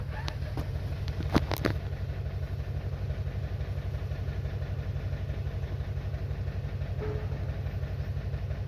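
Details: 2021 Toyota Camry idle pulses thud unevenly, with occasional stumbles and a couple of early knocks. The misfire is caused by an internal ECM fault in the ignition coil control circuit.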